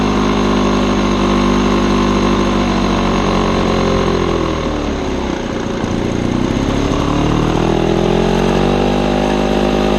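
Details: Old Lawn-Boy two-stroke mower on mixed gas with the air filter missing: a loud, ragged buzz that sags midway then climbs back, the revs wandering instead of holding steady; running very rough.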